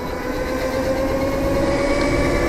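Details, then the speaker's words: Razor MX650 electric dirt bike after front fork upgrade, riding: steady, slowly rising whining squeal over rough hiss from front and rear brakes rubbing badly, bike struggling; owner suspects slightly bent front and rear wheels cause the brake drag. "And that noise that you're hearing, that's probably like in your ears right now. That's my front and rear brake rubbing. My brakes rub really bad."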